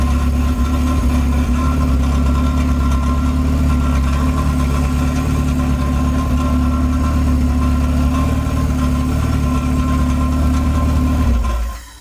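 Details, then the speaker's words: Honda Civic coupe with H2B swap and Skunk2 throttle body, just started after adding coolant; steady even low idle hum with no knocks, misses or hunting, then shut off. Idle sounds good, though a TPS issue stops it revving past 3k rpm. "as you can see in the video sounds good on idle"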